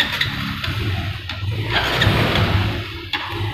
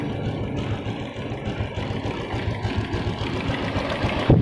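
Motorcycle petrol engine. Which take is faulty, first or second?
first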